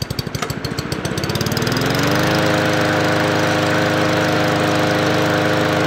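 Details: MTD Yard Machines 20-inch P510 push mower with Powermore engine, bought as non-running, after oil fill: it starts with rapid pulls and settles into a steady, even drone with no knock, running healthy.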